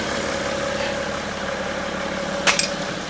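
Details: 2012 BMW X5 diesel, after EGR cooler repair: steady even diesel idle with a faint constant hum and no knocks or misses; normal idle.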